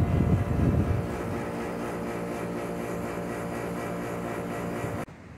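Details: 24,000 BTU 220 V split air conditioner compressor, previously not starting with a strange noise, running after a replacement capacitor with slightly more capacitance was fitted; steady, even hum at constant pitch after a brief start-up surge, running normally.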